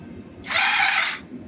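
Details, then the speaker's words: Kawasaki Bayou KLF300 4x4 whose pull cord locks partway. The starter still spins the engine in a short whirr with no firing, after which the cord pulls freely. The cause is unclear; a loose timing chain and failed tensioner were found, and an upper-end issue is suspected. "you can turn the key on okay look it's locked up tight can't pull it but watch this hit the start button"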